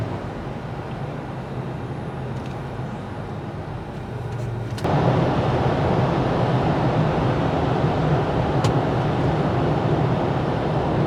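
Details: Toyota FJ Cruiser while driving: a steady low hum over road noise that tracks road speed, from a bad front passenger-side wheel bearing; wheel spacers are suspected of wearing the bearings, and both front bearings were replaced.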